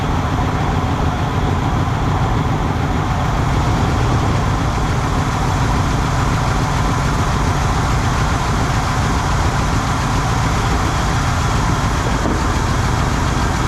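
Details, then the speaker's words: 1970 Chevrolet Monte Carlo V8 after long storage, first run on fuel poured down the carburetor: steady, rough, low idle with a hissy, ragged edge from audible exhaust leaks, pumping out junk but running. "holy smoke I can hear exhaust leaks she pumped out a whole lot of junk out of the gosh but it runs"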